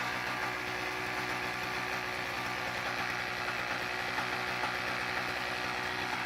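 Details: Toro CCR2000 single-stage snowblower, 2-stroke 4.5hp Suzuki engine with Mikuni carb, after carb cleaning (it previously ran poorly): fast, even two-stroke buzz running steadily without stumbling, misfires or surging; running cleanly.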